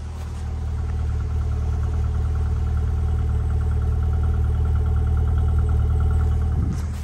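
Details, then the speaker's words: Rover Streetwise with K-series engine, just started after a battery replacement and smoking: steady idle with regular light tapping about four knocks a second over the engine hum; knocking at idle, easing slightly, cause unknown. "yes knocking there is a bit of knocking uh can you hear me knock"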